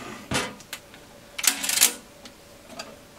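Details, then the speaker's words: Keithley 228A voltage/current source with 1988 date codes; a few sharp clicks and a short rattle as the unit tilts, from a loose object sliding inside the case, which must be opened. "There's something floating around the side. So, although it's got seals on it, I'm definitely have to open this up."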